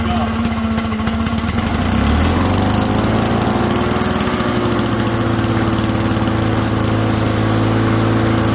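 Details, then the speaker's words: Lawn Boy two-stroke mower after top direct-drive starter conversion, running steadily with a weird droning hum under the exhaust note; owner suspects possibly a blade coming loose, not confirmed. "let's get that weird hum to it that's one thing I remember as a kid"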